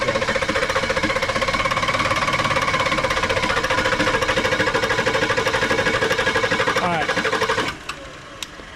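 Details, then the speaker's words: Diesel truck that ran out of fuel, batteries dead and being jump-started, owner says 10 gallons added: steady even cranking about 2.5 beats a second for over seven seconds, never catching. Air in the diesel fuel line, being primed. "and she was running fine until you ran out of fuel this little white tube okay is the uh fuel ball exit ports okay go ahead and hit it yeah I see a lot of air coming out while that pump's on"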